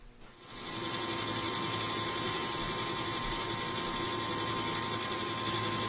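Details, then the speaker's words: Furnace draft inducer blower, the old unit before replacement, at startup: the motor spins up within a second into a loud, raspy whir with a steady high whine; noisy blower assembly, to be replaced. "This one, the old one in there, is making a lot of noise when it starts up."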